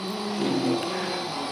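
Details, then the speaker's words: Model railroad car on a tight curve: thin squeaky screech rising in pitch as its wheels bind going around the bend. "You hear that little screeching right there? I got tight turn right there. So, those wheels are uh definitely [Music] uh having trouble going around the curve there."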